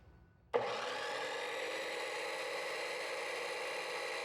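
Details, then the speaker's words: Ridgid R4092 10-inch wet tile saw after repair of blade not turning, water topped up; motor starts cleanly into a steady even hum with smooth top note, no grinding or rattles, running properly. "so right now we got it running so that's good"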